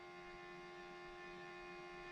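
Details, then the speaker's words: 2008 BMW 335i E92 N54 no-start project, car off while the MHD OBD dongle is plugged in: a faint, steady high whine with a low hum underneath, holding one pitch; source unclear. "all right so this is the mhd dongle so here goes that noise again too this thing's going crazy"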